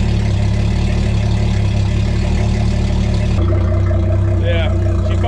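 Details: Tracker Targa V18 outboard, first start of the 2020 season after Bass Pro winterization, with tell-tale stream flowing. Steady low burble with an even beat, no misses or knocks; normal idle.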